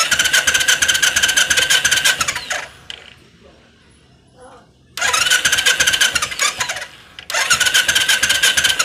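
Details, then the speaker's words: Royal Enfield Classic 500 BS3 EFI, won't start: fast, even cranking in two long bursts, no catch, and no fuel pump hum when switched on; fuel pump not running, no current reaching it. "अब मैं इसको on off करता हूं button को और आप लोग ध्यान से सुनिए इसका फ्यूल पंप नहीं चल रहा है"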